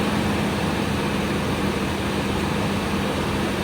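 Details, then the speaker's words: Toyota 4Runner with four-wheel drive, started right up on a jump box, with a steady, even engine hum and no knocks, misses or rough spots; strong, healthy idle. "And as usual, you got a strong Toyota engine. Really sounds good."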